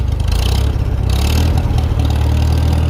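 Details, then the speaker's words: Farmall 400 tractor after a starter and solenoid swap; deep, lumpy low rumble with uneven firing, missing a little and running rich per owner, settling into a steadier beat as it smooths out. "Yeah, it's smoothed up a good bit here now."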